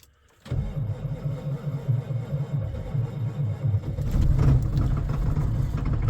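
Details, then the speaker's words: Diesel pickup truck with clutch in after sitting in cold weather; battery voltage dropping to 10.8 V while cranking, laboured slow cranking under four turns a second, then catches and runs rough with smoke; weak batteries. "And listen to this thing. Turning over way too slow."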